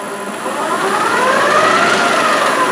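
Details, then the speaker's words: TDCi LT230 transfer box with upgraded gears on a test bench, full of oil, about 1.5 hours running, not hot, no leaks. A spinning shaft whines up in pitch with a chattery rattle at speed; that shaft is always noisy, and a front bearing is noisy. "But you can hear it's chattery here. That's why I just leave them around about that speed."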